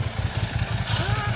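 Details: 2007 Ducati Monster 695 after repairing bad solder joints at the fuel pump assembly terminals, which had caused a no-start with no pump prime: low, throbbing beat of about seven pulses a second, even with no misfire; the bike is running properly.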